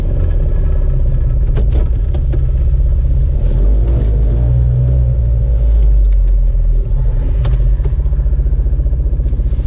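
Small two-stroke rattles and rumbles unevenly as it revs, with irregular clattering over the engine note; the cause is unclear.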